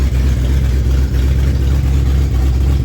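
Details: Junkyard-rescued 1970 Ford Torino GT V8, first start in decades, oil pressure 30 climbing to 50 psi: deep even rumble without misses, knocks or ticks; normal running.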